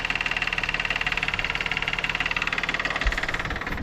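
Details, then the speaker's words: 2011 GMC Terrain, GM 3.0 V6, before timing system rebuild: fast, even metallic rattle of about 220 a minute over the idle, called a death rattle; source not yet diagnosed; idle rattle. "That is our that is what I lovingly refer to as a death rattle."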